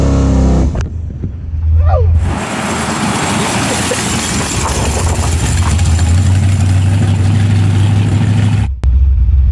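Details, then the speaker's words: Turbo Nova V8 after cam swap, with a 3.5 power valve fitted in the carb to cure a hesitation: pulls cleanly and evenly under throttle with no stumble; hesitation almost gone, a 2.5 power valve thought better. "what you hear the hesitation is almost gone now it needs like a 2.5 instead of a 3.5"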